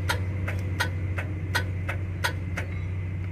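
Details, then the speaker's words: Isuzu Giga truck that won't crank despite a good battery and engine indicator off, red starter circuit fuse removed: sharp uneven clicks over a low hum, starter motor never turns; starter clicks but does not crank. "seperti itu teman-teman suaranya dia hanya hanya bersuara di bagian dinamo starter telepon tidak sampai dia eh dinamo starter itu berputar temen-temen"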